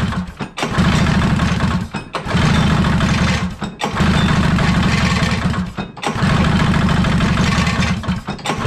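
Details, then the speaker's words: 1983 Polaris Indy Trail 440 two-stroke snowmobile, barn find revival: runs in surging bursts that sag and nearly die every second or two, lumpy and uneven; owner suspects running far too rich, maybe gasoline-filled chain case oil; cause unconfirmed. "again sounds like this is running really rich well there's something happening there i don't know what it is"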